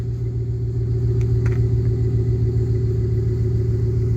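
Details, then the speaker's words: 2005 GMC Envoy Denali 5.3 V8 after an under-hood fuse box replacement and battery reconnect: deep even rumble settling into a smooth steady idle, no knocks, misses or ticks; normal idle, runs clean. "Let's see if this thing will fire up. And there it is, ready to roll. Sounds good, doesn't"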